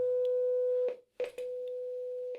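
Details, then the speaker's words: Graetz Comedia 616 tube radio after capacitor replacement, first power-up: 500 Hz generator tone into power amp tube holds steady and pure with brief handling clicks, no rasp or buzz, undistorted; output stage clean. "Actually very clear. It doesn't seem to be distorted at all."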